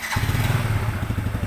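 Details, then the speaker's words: Fuel-injected motorcycle started right after reinstalling the fuel line until it clicked and reconnecting the fuel pump wiring; engine catches at once and settles into an even low putter with no misfire; no fuel leaks found, normal start and idle. "Sekarang kita coba hidupkan. Hidupkan. Ya, hidup."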